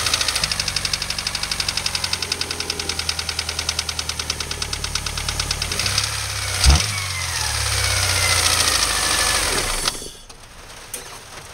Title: s2k engine noise - loading engine in 1st with clutch